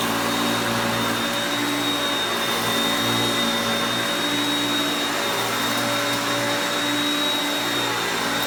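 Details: Hoover Concepts self-propelled vacuum on carpet. Even, steady motor roar with a constant high whistle, no surging, rattling or scraping; normal running.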